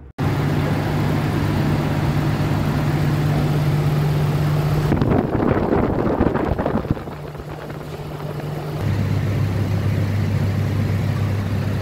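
Steady, even idle with a smooth low hum and no misses, knocks or ticks; the engine is running cleanly.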